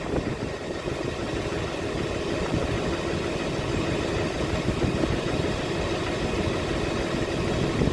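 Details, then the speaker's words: 2006 Chevy Silverado LBZ Duramax diesel with DSP5 switch and tune, 3.5-in exhaust before 5-in swap, cold start after sitting overnight in the 20s °F (upper 50s now): steady, even idle with deep rumble, no knocks or misses; normal cold idle. "So, let me do a cold start. The truck's been sitting out overnight. It's actually like in the upper 50s right now, but it dropped into the 20s last night."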